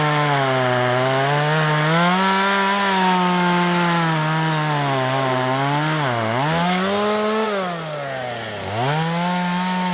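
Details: 1997 Poulan 2150 chainsaw, 23 years old, owner guesses 2.1 displacement; warm, just run; dull chain cutting box elder tops. Loud buzzing two-stroke bogs and recovers as it bites wood, pulling strongly through each cut; normal chainsaw cutting.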